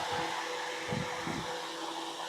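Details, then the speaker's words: Newly mounted solar-powered greenhouse exhaust fan on first switch-on: strong, steady rush of air with a constant motor hum, no rattles or wobble. It moves lots of air, shaking the plants. "That thing's moving some air. I can feel the air from the fan."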